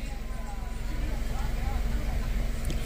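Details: Ford EcoSport 1.5 Dragon 12-valve three-cylinder with oil-bathed timing belt, after emergency timing belt replacement fixed knocking at idle and high rpm; quick, even pulsing idle, no knock or tap, running smoothly.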